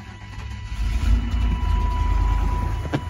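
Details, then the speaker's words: Suburban engine that barely starts, needing throttle to crank: lumpy, uneven idle stumbling and surging with no steady beat from heavy blow-by; confirmed hole in a piston, blow-by gas pushes out the valve breather, engine needs replacing. "oh this thing runs horrible because it's got so much blow-by"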